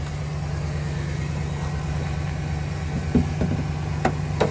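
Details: 2008 Chevrolet Silverado 1500 LT, 5.3 V8, 253k miles, idling after start: steady low even rumble with no knocks or ticks, a couple of faint clicks near the end; normal smooth idle.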